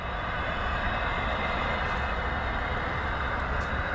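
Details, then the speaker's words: Fire sprinkler system being refilled after corroded sprinkler heads were replaced, main valve opened about 12¾ turns while air bleeds out: steady, even rushing hiss with no knocking or hammering; normal water flow. "So right now we're filling, but we're also bleeding air out."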